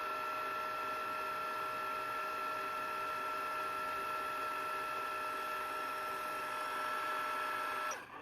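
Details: Sharp VL-H870 ViewCam Hi8 camcorder after repair of tape-transport grinding on eject, damaged tester tape loaded: fast rewind gives a smooth, steady, even high motor whir with no grinding or catching, stopping cleanly; normal fast rewind.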